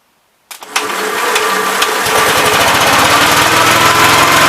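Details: 1971 Gravely C walk-behind tractor with 40-inch deck, after carburetor main jet adjustment: catches after a few pops and climbs to a hard, fast, screaming steady run that never settles to idle; governor linkage needs adjusting to close the carburetor butterfly further; oil pressure good.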